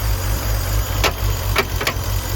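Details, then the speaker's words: BMW E46 330i bought at impound auction, first start, very low on fuel; rough, low idle with three sharp irregular pops, a lean backfire in the intake from massive vacuum leaks, likely why it was parked. "That's a lean backfire in the intake, so massive vacuum leaks. Likely why it was parked."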